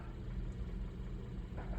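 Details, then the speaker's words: 2012 Hyundai Accent 1.6L at warm idle with codes P2187 and P2191 (lean at idle and under load): faint uneven chug, engine shaking and jumping; rough idle, owner suspects carboned-up valves or vacuum leak, later fixed with SeaFoam and electronic throttle body cleaning. "You probably can't see it, but I can feel it in my butt, but you can kind of see it's jumping around a little bit."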